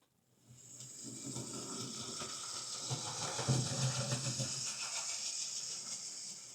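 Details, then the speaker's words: Hornby R2558 County Class OO model locomotive with a new drive gear, drawing about 100 mA, poor slow pull-away: harsh, hissy buzz with a coarse low rumble; rough, noisy running blamed on its cheap motor. "Makes a horrible noise, but it's just a horrible motor. pulling about 100 milliamps."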